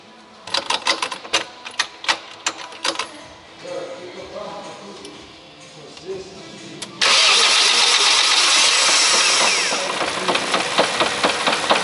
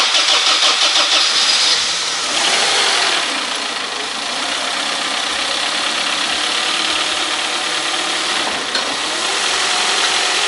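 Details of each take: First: 1998 Honda CR-V 2.0 petrol, 466,000 km, slightly warm: cranking clicks, then on start a deep knock from low in the engine rides the idle and stops once the oil pressure light goes out; worn main bearing, found on the third journal. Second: 1998 Honda CR-V 2.0 petrol with 466,000 km, which had a deep bottom-end knock at start-up, started apparently after engine work with antifreeze refilled: it catches and settles into an even, smooth run with no knocking; normal.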